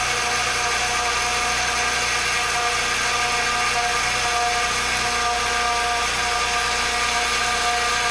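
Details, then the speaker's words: 2007 Acura TL Type S at cold idle: steady high whine over smooth idle from the power steering pump, air entering past a hardened inlet pipe O-ring; whine fades once warm; fix is replacing the O-ring. "over time it gets old and it's supposed to be Rubber and eventually almost gets like plastic and the seal breaks and air gets in the system and it causes that loud whining noise"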